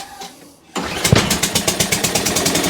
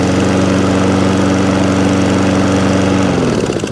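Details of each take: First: Toro Recycler mower with a new spark plug, started on choke: it catches after a pull and settles into a sharp, slightly uneven popping of about eight beats per second; rough at first, but it runs. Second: Toro Recycler lawn mower, previously used commercially: it starts on its own without choke and gives a steady, even single-cylinder drone at constant pitch that winds down smoothly at shutdown. Normal running.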